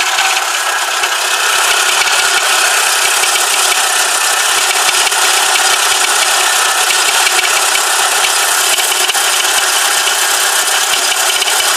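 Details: VW Corrado G60 idling with a rough, uneven metallic knocking rattle about three a second; rod bearings suspected, not confirmed.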